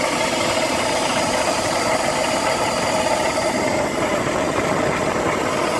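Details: BMW E46 330i ZHP, engine cold at idle: a fast, even metallic rattle; tensioner and deflection pulleys and DISA already replaced and VANOS rebuilt with an anti-rattle kit, cause still unknown.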